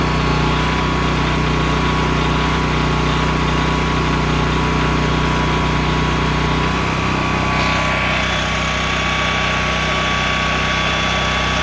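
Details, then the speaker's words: Honda EM6500SX electric-start generator after carburetor cleaning and oil change, loaded with a heat gun through an amp/watt meter. A smooth, even drone with a steady hum that settles when the load changes. It runs normally and holds speed. "so there it is sorry about the noise but obviously it's loud it's a generator"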